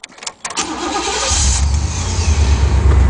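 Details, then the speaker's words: 1991 Chevy Caprice station wagon nine-seater, one owner, 91,000 miles: brief crank, then catches and settles into a steady rumbling idle, starts right up; exhaust a little loud, may need a muffler. "that's pretty low miles 91 000 was a one owner for the whole life of it um starts right up"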